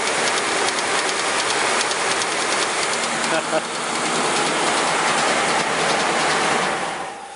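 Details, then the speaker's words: 2004 Mercury Mountaineer 4.6 V8 restarted at idle: a fast tinny rattle like something in a can. The timing chain is slapping, and the owner suspects one of the recently replaced guides has broken. "I think you can hear that, but it sounds like someone's knocking or something's in a can rattling."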